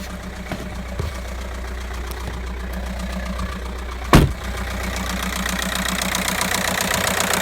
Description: Bruit moteur Audi A3 8p 1.9 TDIe 105cv (moteur BLS Année 2009)